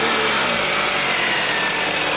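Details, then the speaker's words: 2000 Toyota Camry idling after timing belt replacement and tensioning (plus EGR solenoid repair), checking the earlier noise is gone: even, steady idle with a soft light whirr, no ticking, slapping or flutter; runs like a kitten. "it sounds better already rev it up [Music] it's a lot better [Music] ran like a kitten beautiful"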